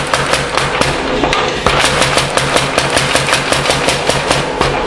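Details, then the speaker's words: 1910 Old Style Mayer Brothers 25 lb Little Giant trip hammer on three-phase power: fast, steady blows about four a second, each with a dull extra "tump" thump, said to indicate the machine needs a new spring. "the tump tump tump that's a sign that Sid says uh is indicative of the machine needing a new spring"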